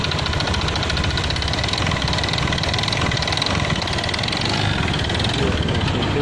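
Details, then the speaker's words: Honda Beat FI K44 scooter: rough metallic plate-like tapping that rises with throttle; fan magnet checked and seems fine, owner suspects connecting rod (stang); engine then disassembled. Cause not confirmed. "Kalau menurut saya ini seperti suara stang karena udah saya cek bagian magnet kipas seperti aman guys karena ini suaranya seiring dengan gas jadi ketukan besi ketukan plat gitu"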